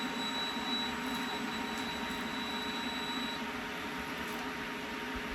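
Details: Server "Loki", which runs four power supplies, running with two supplies plugged in (one to wall, one to backup battery): only steady quiet fan hum with faint constant whine, no warning beeps; running normally.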